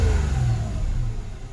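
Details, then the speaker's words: Mitsubishi Mirage after a new spark plug cured its hard starting. Crisp rev falls back cleanly toward idle with no popping or stumbling; normal revving. The old plug had failed. "Ayun, nagnormal siya. Ayan. Sa madaling sabi, ang nangyayari lang diyan napundi yung spark plug kaya hindi siya matuloy."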